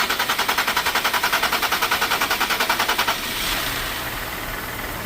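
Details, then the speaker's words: 2020+ Ford Explorer Platinum 3.0L: long cranking, even starter churning for several seconds before it catches, caused by a faulty fuel rail pressure sensor; crank-no-start problem, often misdiagnosed by dealers as the fuel pump. "so that's the scenario that you guys are getting crank crank crank crank crank no start crank crank crank no start crank crank no start"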